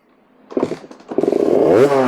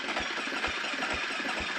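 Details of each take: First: KTM 350 diagnosed for no spark, first start with a Lectron carburetor after fixing a leak from an oversized fuel hose: a few sputtering kicks, then it catches and buzzes up in pitch, firing and revving cleanly. Normal start. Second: KTM 350 four-stroke dirt bike with Lectron carburetor, previously repaired pulser coil, now no spark: slow, laboured cranking with evenly spaced thumps about twice a second, engine barely turning over; low battery suspected, jump pack planned.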